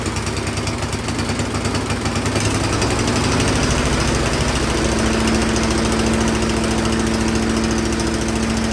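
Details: Troy-Bilt Storm 10030 snowblower that would not start after gas sat in it all summer (bad gas, clogged carburetor suspected); spark confirmed, started with starting fluid, now running great: steady, even single-cylinder beat settling into a clean steady tone, holding speed; normal running.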